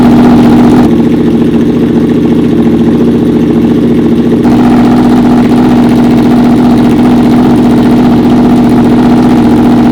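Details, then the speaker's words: Honda VFR/CBR hybrid V4 with custom LexTek exhaust in short single-muffler configuration; strong steady drone swelling with throttle and settling back to a firm idle; healthy, pulling cleanly. "I gotta tell you guys, I literally have goosebumps right now. This bike sounds so freaking amazing. I had an Aprilia RS before, and this bike sounds as good as that."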